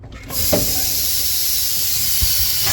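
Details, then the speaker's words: Freightliner semi truck before replacing a leaking low-air-pressure brake switch valve under the dash: a loud, steady rush of escaping air for over two seconds, tapering off as the air system is deliberately drained from the cab rather than at the tanks. "you can either do that by here or you can go actually to the tanks I would suggest going straight to the tank it's always good to drain your air"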